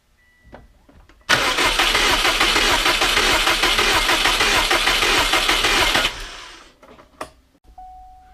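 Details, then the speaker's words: 2003 Subaru WRX with misfire, ignition fuse removed, cranking without starting to compare cylinder compression by ear; slightly uneven cranking pulse suggests uneven compression, suspected not confirmed. "hopefully if I pulled the right one it won't start and we'll be able to hear if there's any differences as each cylinder goes up and down as we're cranking"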